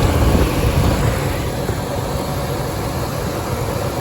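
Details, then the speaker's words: Normal idle after repair on a 1998 Ford F-150 4.6 Triton V8 that had a cylinder 8 misfire: new spark plugs, plug wires, both coil packs and both EVAP canisters; deep, even V8 rumble, firing cleanly, runs like new. "so we ended up installing new spark plug wires and we got new spark plugs for it we got uh the two coal packs and we got a both of the EVAP canisters all replaced and uh 800 later the truck runs like new again"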